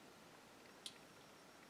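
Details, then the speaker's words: MacBook Pro trackpad clicks crisply with a clean release after the swollen battery, which was lifting the trackpad and stopping it working, is disconnected; trackpad clicks properly with the machine running without the battery. "will it click yes it works so that was a problem there you go isn't that nice"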